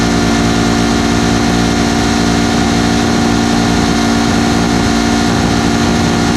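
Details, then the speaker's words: Detroit Diesel 8V71 two-stroke V8 with the fuel racks tied at full fuel, in full runaway before water is sprayed into the blower. A loud, constant high-pitched howl stays pinned at maximum revs with no rise or fall. "okay so the racks are tied at full fuel she's in full-blown runaway mode as soon as it starts it's gonna go"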